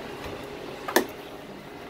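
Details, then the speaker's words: Door latch gives one sharp click in a quiet room as it lets go. The strike isn't pushing the latch wheel fully down into the locked position, so a bump opens the door; fix is lowering the strike screws, possibly also bending the strike. "it's not pushing it down into the locked position so notice that and then I pull it out all it takes is a bump to the door"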